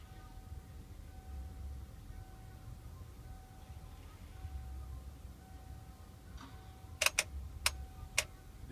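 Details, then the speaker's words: Ford 6.9/7.3 diesel with hard start and stalling, key on, power confirmed at the pump: quiet hum then four or five sharp relay clicks about half a second apart; glow plug relay cycling normally. "the clicking noise I was talking about for the glow plugs okay we have power at the pump now waiting for the glow plugs"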